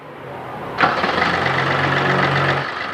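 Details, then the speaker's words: Chevrolet Beat 3-cylinder diesel after engine work and timing marks confirmed at 0-0, previously vibrating: quick crank, then steady, even idle with no shake or misfire; normal start and smooth idle after repair. "आप देख सकते हैं हमारा engine start है और आप देख रहे हैं इंजन में कोई भी वाइब्रेशन नहीं है। यहाँ से देख रहे हो बिल्कुल स्मूथ है इंजन।"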